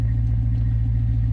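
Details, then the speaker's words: Chevy C10 (1973–87 body) just after start-up with a new Intellitronix digital gauge cluster, cold: deep, steady low rumble with even pulse at about 600 rpm, slightly raised until warm, no knocks or misses; normal cold idle. "is kind of normal. It's idled up just a little bit right now. Once it warms up, it'll idle itself back down a little bit."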